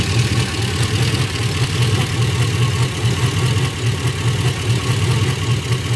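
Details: Golgotha's first run after rebuild: engine just started, low even rumble with slow, slightly uneven pulse as it settles into idle.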